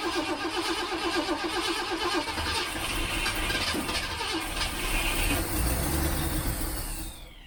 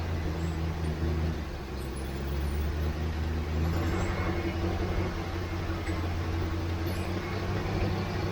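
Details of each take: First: 1967 Ford Mustang carbureted engine, sat for months, on jump box, ~85°F Arizona: starter cranks steadily but engine won't fire; fuel pump working but float bowl likely empty. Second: 1967 Ford Mustang carbureted V8, sat for months, after adding about 2 gallons of gas: deep smooth steady idle burble, no stumbles; running properly, lack of fuel likely the problem.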